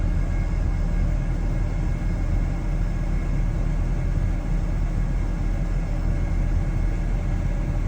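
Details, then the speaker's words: 2006 Ford F-150 at idle after fan clutch replacement (old faulty fan clutch caused high A/C pressure, 400 before): steady low engine rumble, fan whooshing evenly, no roar or flutter; pressure improved, A/C pipe cold; normal idle. "Now let me start it up so y'all can see. The fan is installed. It's spinning a lot better."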